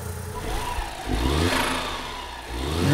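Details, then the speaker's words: Suzuki Cappuccino (63bhp stock, turbo) being modified, engine bay listened to with bonnet open, after restarts with ignition possibly advanced: quick clean throttle blips with faint turbo whistle, now sounding more purposeful, as if the ECU adapted; normal revving. "just popped the Bonnet to have a look and a listen and you keep sounding so much more purposeful now it's as if the E just had to think things through and get used to the car but now this cappuccino now actually sounds like it has a turbo"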